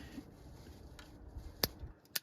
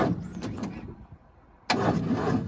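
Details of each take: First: 1942 Ford 200ci engine not run for 20+ years, distributor cap off, rotor turned with 12 V on the coil, points and condenser previously replaced: two sharp dry snaps about half a second apart as the points open; healthy spark. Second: 1942 Ford 200ci cranking after 20+ years idle, premix fed in to lubricate the top end, starter apparently original from 1965: slow, labored cranking in short bursts with brief ragged catches; weak starter struggling while the engine tries to fire.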